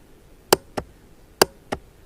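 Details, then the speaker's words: 2006 Honda Rancher TRX350 ES after new battery and replaced starter relay solenoid: two sharp click pairs a second apart, no cranking; still not starting, starter motor suspected next. "Turn it on. Hopefully, it works. No, it still doesn't click."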